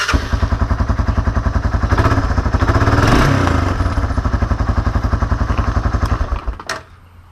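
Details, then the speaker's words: Honda 300 Fourtrax after valve adjustment (intake and exhaust clearance .006): steady, even single-cylinder thump at idle, a clean smooth rev blip, then shutoff; revs fine and runs healthy. "And once you're all done, just start it up once to make sure it revs fine and everything."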